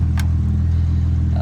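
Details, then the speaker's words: 2007 BMW E92 335i idling with replacement ignition coil borrowed from an E60 fixing the cylinder 5 misfire: smooth, even low rumble with no stumble, shake or miss; engine running as it should. "but now it's not shaking it's not misfiring the engine now is running as it should and yeah all is good"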